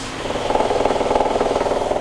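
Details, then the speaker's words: Maytag MAV7600AWW washer with does-not-drain and burning-smell symptoms: rapid regular knocking pulses, about twenty a second, over a strained gear hum while it runs; a gear in the 35-6615 transmission assembly is probably failing. "that is transmission it's done so we just found out the issue that noise that you hear right now is coming from the transmission one of the gears in the Transmissions probably turned to fail causing a lot of pressure in the transmission"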